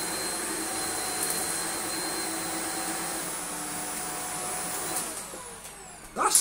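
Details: Shark vacuum from a free joblot, filter not burnt-smelling but unit not very clean, switched on and settings changed: steady high airflow whoosh with constant motor whine, settling then dropping away; works very well with good suction, though seems to spit bits out.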